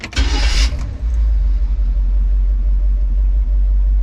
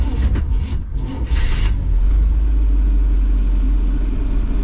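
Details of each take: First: Carbureted classic van with an Edelbrock carb, hot start just after tightening the loose positive and negative battery cables: a brief crank, then it catches within a second and settles into a steady low idle; the slow start was the cables, not timing. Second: Carbureted classic V8 van with an Edelbrock carb, hot start with the choke set: labored, uneven cranking for under two seconds before it catches into a deep rumble; at first timing was suspected, then loose battery cables were found to be the cause.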